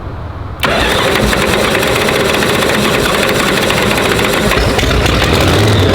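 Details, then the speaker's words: Supercharged (blown) Hemi V8 engine fire-up: catches and settles into a loud, lumpy, uneven idle with a choppy beat; ignition timing needs adjusting. "uh the back too yeah let me get the uh i got to get the timing adjusted"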